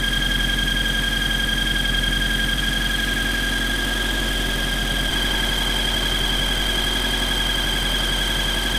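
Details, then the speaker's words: Honda engine after a VTEC cylinder head swap, at idle: steady piercing high squeal constantly over the idle, unwavering; began after short drives, owner suspects the cylinder head, source unconfirmed. "I started driving it around the block around the neighborhood here and there and then um it started making a really high-pitched squealing noise"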